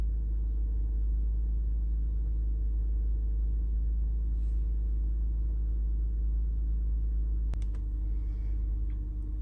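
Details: Lexus RX350 at idle, engine cold so rpm slightly raised and expected to drop as it warms; steady, even low rumble with no misses or knocks. Mass air flow reading normal for idle. Normal cold idle.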